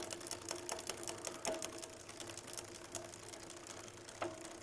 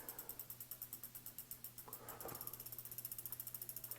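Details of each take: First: Jamis Highpoint mountain bike with rear derailleur cable tension off and the high limit screw turned in while pedaling: sharp, uneven clicks over a soft chain whir. Backing the screw out one flat at a time stops the noise. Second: Jamis Highpoint A2 mountain bike after hydraulic disc brake caliper adjustment: wheel coasts with quick, even freehub clicking about nine a second, earlier slight rotor rub gone after tightening caliper bolts; brake runs clear.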